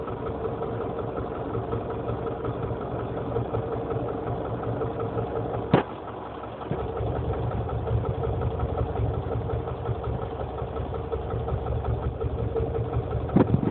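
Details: Honda CR-V engine at steady idle with a dull, rhythmic tapping that keeps pace with engine speed; knock at idle, source not yet found.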